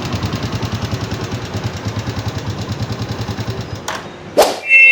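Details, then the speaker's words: Microbike EXT motorcycle idling before a tune-up, so noisy the owner thought the engine needed a teardown: fast, even top-end clatter of about eight beats a second, pointing to loose tappet clearance; tappets adjusted in the tune-up. "Akala nung may-ari ibababa na yung makina ng motor niya kasi sobrang ingay mga boss amo. Nakakairita yung ingay."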